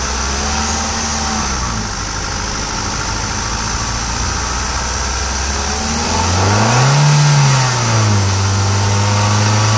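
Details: Hyundai i10 Magna idling then revving briefly: steady whirring and rattle on top; owner cites timing-side and AC compressor noise, source not confirmed.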